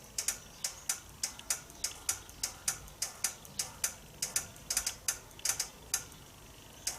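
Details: Nissan automatic transmission with fault code P0745, pressure control solenoid A: crisp, light metallic ticks about two or three per second over a quiet background, the solenoid clicking normally as it is pulsed.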